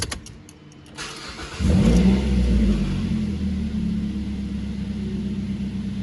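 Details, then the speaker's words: 2012 Mazda 3 DOHC just after spark plug and coil pack change with Lucas additive added: short crank, catches cleanly and settles into smooth steady idle with no misfire, knock or stumble; normal start and idle. "sounds really good so now we're going to take this down the road and let's see how she runs"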